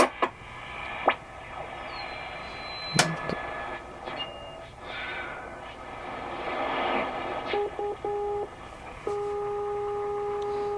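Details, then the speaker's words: Sony CRF-320 communications receiver (like CRF-330K without tape) on the bench during restoration, tuning the longwave (bottom) band: steady hiss with clean whistling carriers fading in and out; longwave reception working normally. "so the long wave seems to be working"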